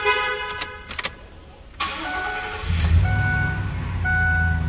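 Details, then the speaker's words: Ford Econoline that had a crank-no-start, rechecked after a second ground strap was run from body to frame where the factory ground was: quiet clicks, a short crank, then it catches at once and idles steadily; normal start. "and then we go recheck and make sure it starts just to reconfirm real quick so you guys know"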